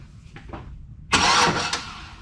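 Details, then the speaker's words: Jeep Comanche with Chevy V8 swap, fuel system and wiring just installed, engine only runs on starter fluid; quick starter test gives a strong, even burst of cranking: starter works normally. "real quick test make sure the starter yeah it works yep yep yep try starter works"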